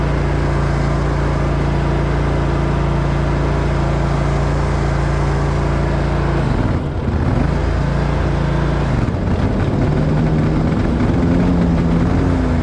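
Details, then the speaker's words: Grasshopper zero-turn mower with defective battery: steady engine drone turns rough and wavering with uneven rattle when PTO engaged; PTO malfunction, shown to be caused by the bad battery. "At this point in my vlog, I'm finding out there's something seriously wrong with the PTO. Sounds like it's coming all the pieces."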